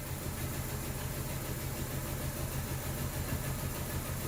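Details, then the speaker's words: 2012 Chevy Cruze petrol engine idling roughly with flashing check engine light and traction control light: low, uneven chuffing beat as cylinder number two is completely dead, a misfire found by testing coil wires. "the number two is completely dead it just keeps on coming"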